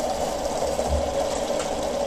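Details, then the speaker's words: Home RO water purifier running, opened up: loud buzzing drone with a rattling edge from the booster pump. Pump head not leaking; internal pump-head fault causes the noise, head to be replaced. "नहीं, ये कहीं से भी leak नहीं कर रहा है, लेकिन जो इसके अंदर हेड होता है इसमें प्रॉब्लम आ जाती है, तभी जाके इसमें आवाज़ आती है।"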